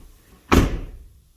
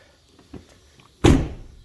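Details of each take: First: 2014 Ford F250 Platinum door: a single hard, dull slam with a metallic clunk; the stock striker lacks a rubber grommet, and swapping in an 09–14 F-150 striker (9L3Z1522008A) makes the door shut more solidly. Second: 2014 Ford F250 Platinum front driver door, after fitting a replacement striker 9L3Z1522008A (2009–2014 F-150 part): a few soft, dull thunks with no metallic slam or rattle. The door now latches quietly, which is normal.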